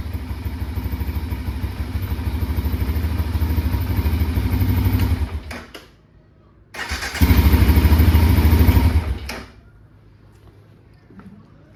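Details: 2005 Can-Am DS650 quad, bought for $1000, after choke comes off: single-cylinder engine thumping evenly near 190 beats a minute, cut off, then restarted and revved cleanly; running properly with no misfires.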